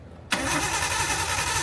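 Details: RB-swapped 240SX with no mass airflow sensor, spark seemingly present, cam angle sensor and coil pack power being checked: loud cranking with no firing or idle, crank no start.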